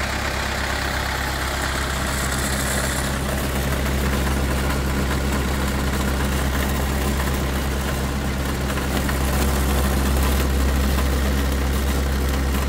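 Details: CAT/Perkins 3054C diesel on a wood chipper, unrun three years, idling after cold start following filter, fluid and corroded battery cable replacement, later found a couple of quarts low on oil: steady low rumble, even clatter, no misses or knocks; normal idle.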